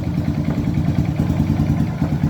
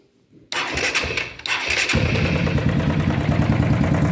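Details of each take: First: Honda Titan 150 motorcycle after replacing the worn cam chain tensioner: steady even single-cylinder idle thump, the loud engine noise almost 100% gone. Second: Honda Titan 150 motorcycle engine cranks and idles with loud steady mechanical knock sounding like rod or piston slap, actually a worn cam chain tensioner, replaced.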